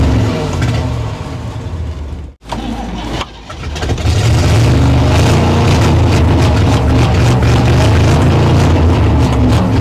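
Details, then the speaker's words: 1960 Chevrolet Impala V8 that sat decades, first run on its own after the carburetor floats seated: after a rough start a low idle swells and fades three to four times a second; pulsing cause unknown, owner thinks it hits on all eight. "thank you I don't know why it's pulsing like that I'm not 100 sure why it's doing that"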